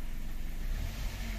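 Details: Car that stalled after driving near water, scanned and run warm until the radiator fan works: low even engine note picking up promptly under throttle, the earlier delay gone, no stumble or lag; normal revving.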